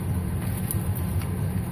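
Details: 2007 Ford F150 that cranked but wouldn't start (fuel filter change didn't help), running after work on the broken fuel pump driver module: low, steady, even idle rumble with no stumbling or knocking. Normal idle after repair.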